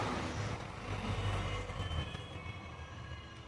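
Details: HP LaserJet P1102W printer that makes noise and won't print: loud, rough continuous rumbling grind through the drive from a loose pickup roller with a broken axle; solenoid also repaired.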